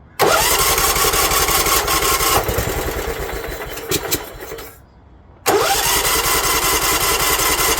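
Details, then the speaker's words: John Deere LT150 barn find sat for years, first start attempt after carburetor work, carb empty and fed by fuel pump, battery charger attached: starter whirs, engine sputters, stops, cranks again and catches; long cranking while carb fills. "uh remember the carburetor is empty it's got a fuel pump so she's going to have to crank a little"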